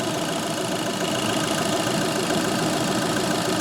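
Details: 2013 VW Polo 6R 1.2 TDi after oil filter cooler housing replacement for a coolant leak: even diesel clatter at settled idle, steady rhythm, no knocks or hunting; housing now dry, leak fixed.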